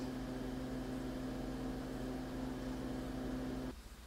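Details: Alienware Alpha i7, first boot after a warranty repair that replaced the motherboard and hard drive for failing to boot past the logo: soft, steady fan hum with a faint low tone, no rattles or ticking, then it quiets; normal fan noise during boot.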